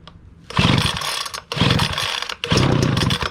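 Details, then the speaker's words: Brand-new Homelite 2-cycle gas blower/vac, first-ever start on full choke: three short bursts of high buzzy two-stroke running, each catching about a second then dying, before moving to half choke; normal first firing. "I'm gonna put it to full choke position, and then we're gonna start it up until you hear it start, until it starts moving to half choke, and with 10 seconds to run."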